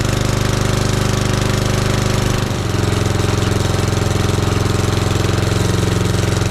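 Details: 1976 Roper ride-on mower with a 2000-year engine, barn find, old and makes a few noises after issues were sorted; loud even chugging about three beats a second with a rough edge briefly changing pitch, cause unknown.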